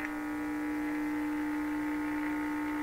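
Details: Bendix 526A 5-tube radio, badly stored in a damp location, first powered on a restricted supply near 117 volts: loud, steady low hum with faint station sound beneath it; poor power-supply filtering, filter capacitor to be replaced.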